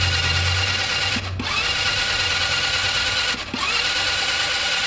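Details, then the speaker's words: Italika TRN150 12 V scooter cranking: high, rough whirring that stumbles twice in about two seconds, a 'clucking' sound; mechanic suspects a worn starter motor, possibly the bendix drive, not confirmed. "le igual ese ruido que escuchan como gallena eso eso es la marcha que ya está ya está dando las últimas Eh puede ser marcha al bendit pero no seguramente es la marcha"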